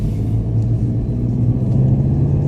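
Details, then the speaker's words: 2014 VW Golf 2.0 TDI EA288 diesel on its test drive after the long-crank repair: a smooth, even low rumble with no knocks, misses or surging; the engine runs normally. "Well, it actually runs very nice."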